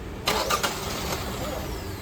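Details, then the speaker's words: Engine cranked with both intake and exhaust camshaft position sensors unplugged: short uneven cranking, never catches; plugged back in it starts and runs, as cam sensors are used only at startup. Crank no start. "try it again yeah it won't start so now if we plug him back in it will start and run"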